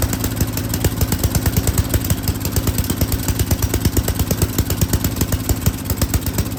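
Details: Yard King snowblower, full throttle, choke on; single-cylinder firing stumbles unevenly, then settles into a steadier beat as the carburetor mixture screw is turned; the mixture was out of adjustment.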